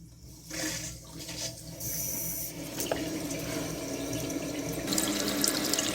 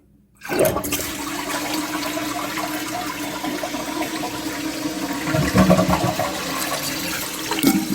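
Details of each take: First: Newly installed Fluidmaster 400A universal toilet fill valve, replacing old valve; water rushes and hisses steadily as the tank fills, no squeal or chatter, fill valve working normally. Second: Toilet after Fluidmaster 400A fill valve install, water level thought to be a little low; short whoosh that fades quickly without strong swirl, weak flush, level likely needs raising.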